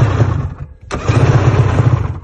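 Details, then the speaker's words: 2021 Polaris Assault 850 two-stroke snowmobile with about 500 miles: rough, lumpy, missing running that dies and restarts, firing on one cylinder; new spark plugs didn't help, one cylinder has no compression. "putting these spark plugs in still sounds like one cylinder the one cylinder does not have any [ __ ] compressio"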